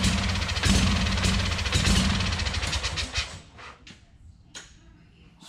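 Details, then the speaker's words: Wright Stander mower engine, low compression (about 90–100 and 60–70 per cylinder, cylinders full of fuel), bent valve suspected beforehand, running briefly on starting fluid: even, regular beat for a few seconds before dying away; sounds smooth and healthy while fuelled. "I was trying to keep it running for a little bit anyways, just so I could listen to the motor and kind of get a good indication of its condition or whether it's, you know, running smooth or what the issue was. And to me, it sounded pretty damn good."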